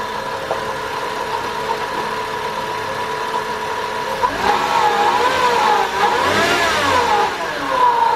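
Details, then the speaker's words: 2000 Nissan Maxima after the idle air control valve was replaced for P0505: a steady, healthy idle with a faint constant whine, suspected from the idler pulley or AC compressor clutch pulley bearing. "all right cars idling great everything is fine"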